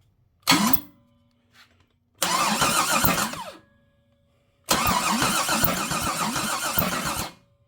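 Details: Big-block engine on a stand, not yet installed in the car, with unadjusted valves: three bursts of starter cranking with an even chug at about four beats a second, and it never fires. The engine turns over freely; a possible whacking noise is suspected under a valve cover.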